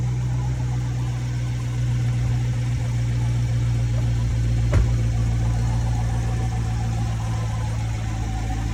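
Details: 2014–2019 Chevrolet C7 Corvette after replacing a bad starter that caused a no-crank fault: a steady, even low idle hum with no knocks, misses or hunting; the engine idles smoothly.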